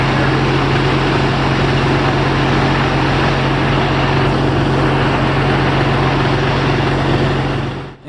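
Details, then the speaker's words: Audi TDI diesel in the Raptor prototype on its first run with the new reduction drive and old prop fitted: a loud, even diesel drone holds one steady pitch for several seconds before shutting off; running normally. "this is the first time that we've run the engine with the Nuri Drive on there"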